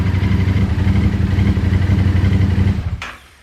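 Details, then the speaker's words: Yamaha Tenere 700 twin, over 40,000 km, idling right after valve clearance check and reshim: even, steady low thumping idle with no ticks or knocks until switched off; runs smoothly. "that sounds good anyway not even a half a turnover Japan for the win"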